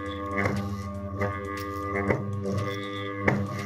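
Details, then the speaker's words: Electric motor armature on a test device with a saw blade held over the slots: steady hum with a harsh buzzing vibration as the blade passes damaged slots, indicating shorted, burned armature coil windings. "Celui-ci est également endommagé il y a une vibration qui signifie des dommages dans l'enroulement de la bobine"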